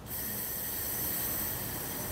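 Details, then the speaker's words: Electrolux oven-range gas burner with flame-failure safety sensor, mic placed near the burner, knob turned and held in without ignition: steady, even hiss of unlit gas flowing, starting abruptly and holding constant; normal gas flow. "perhatikan nanti gas akan terdengar berbunyi Ketika saya putar kop"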